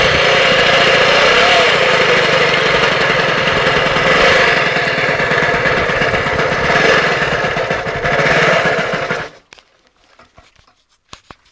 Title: vespa piaggio ciao sounds like a vacuum cleaner